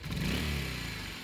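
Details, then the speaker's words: Motorcycle after clutch side repaired, weak battery (9.4 V on start), slight rev then off: settles to an even idle without the high whine; earlier turbo-like clutch-side whine gone, clutch side back in condition. "Wala na yung umuhuni. Yung umuhuni kaninang parang kala mo naka-turbo. Wala nang turbo, no?"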